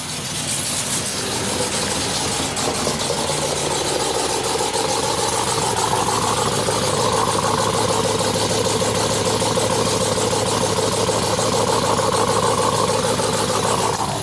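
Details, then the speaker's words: Dodge Ram TRX with new built 426 Hellephant, custom cam, ported heads, 10% lower pulley, 2-inch headers with cats, first start while data logging: loud lumpy choppy V8 idle, steady while warming up; healthy. "I'm about to turn it on right now, and it sounds pretty good. It has cats, so if it didn't have cats, this thing would sound absolutely ridiculous."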